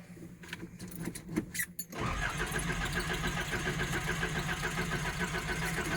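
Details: Nissan 720 cold start: uneven cranking churn for about two seconds, then it catches and settles into a rough steady idle; it won't start easily, and the owner thinks it needs a new fuel pump.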